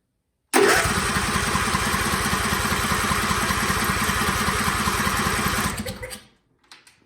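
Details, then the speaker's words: Lawn or snow equipment engine in a small-engine shop cranks steadily about five seconds, never catches, winds down; starting fluid made it fire, no gas out of fuel pump line, filter or line despite fuel in tank; crank-no-start from no fuel delivery. "no gas all right so we'll work our way back here that's where the gas line comes in fuel filter gas line"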